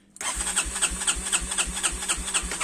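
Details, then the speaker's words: 250 cc naturally aspirated quad whose starter wouldn't turn, after correcting reversed starter cables: brief starter whirr, engine catches at once and settles to a steady, even idle; normal start. "Ah voilà. Vous voyez, là le moteur il tourne."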